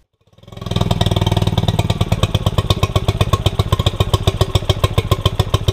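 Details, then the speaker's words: 2006 Honda 5HP four-stroke short-shaft outboard, started after maintenance: catches within a second and settles into a steady low chugging idle; owner unsure of normal idle sound and finds it slightly clunky, but it runs fine. "She starts right up, guys, right up. Honda reliability. All right, y'all, like I was saying, the motor's running perfectly right now. It's running perfectly."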